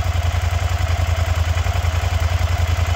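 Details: Suzuki SV650 V-twin being rebuilt as a swamp bike, first start after hunting a blown main fuse / suspected short: steady deep thump at about three and a half beats a second, even and unbroken; healthy idle, slight smoke likely cleaner burning off rear header.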